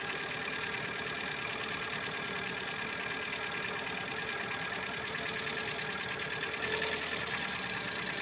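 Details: Lada Largus with 1.6 engine at idle. A fast, light, uneven ticking runs over a steady idle: noisy hydraulic lifters in the valve train.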